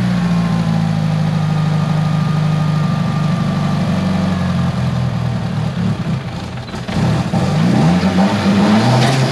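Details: Tial BOV just installed on a car started cold that morning: steady drone, then stumbling and sagging on throttle before climbing, bogging at idle; owner thinks it feels like fuel cut but smells very rich, cause unconfirmed.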